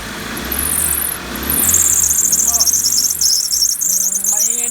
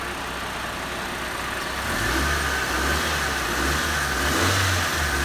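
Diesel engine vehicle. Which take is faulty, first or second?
first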